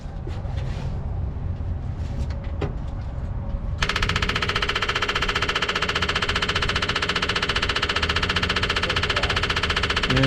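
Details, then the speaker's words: '57 Chevy after running out of gas, about five gallons added, key on: electric fuel pump clacks fast and loud and never quiets; fuel starvation, suspected plugged fuel line or pickup tube. "it is not changing it's like it's not getting any fuel that should that clack and clacking should quiet way down when it gets fuel in it so i think we got a plugged line or something here"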